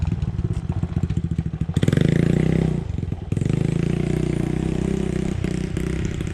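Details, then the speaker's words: 1986 Yamaha Moto4 YFM200DX ATV after draining fuel and adjusting the carb mixture screw. Lumpy idle with irregular pops and burps, still stumbling when revved. Backfiring persists, so the carb is coming off for cleaning. "it's still burping pretty good it sounds like yeah I hear it"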